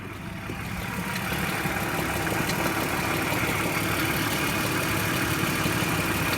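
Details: BMW E46 323i M52B25TU, 1999, at idle after new oil, VANOS unit with anti-rattle kit, spark plugs, coils and chain tensioners: light regular rattling tick about three to four a second over steady idle; cause not pinned down.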